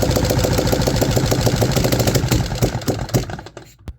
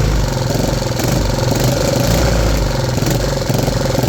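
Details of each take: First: 3D-printed 125cc four-stroke engine on early test runs, only runs on choke: ragged, uneven popping about three a second that stumbles, fades and dies; lean, poor running from an intake vacuum leak. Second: 3D-printed 125cc single-cylinder four-stroke engine after vacuum-leak fixes including 3D-printed valve stem seals with O-rings: steady, even thrum at constant speed with no stumbles or misfires; normal running.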